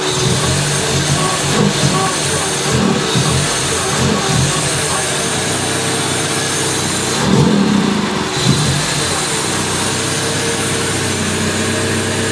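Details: Mazda Familia 323 idling with MAF sensor disconnected yet still running: steady hum under a constant airy hiss; suspected vacuum leak, unconfirmed.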